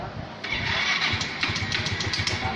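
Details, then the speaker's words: Yamaha Smartkey scooter with throttle position sensor (TPS) unplugged: starter catches and the small engine fires and settles into an even light patter; starts and runs normally without the sensor. "Có thể xe đang nổ máy, tôi rút luôn con cảm biến tay ga ra vẫn chẳng sao."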